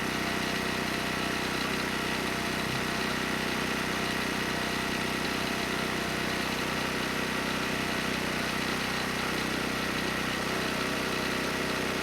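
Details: ETQ 2700 W generator, 163 cc engine, brushless powerhead, loaded 100 W over rated wattage: steady constant drone, no hunting, surging or knocking; stayed near 61 Hz, 118 V, holding speed well.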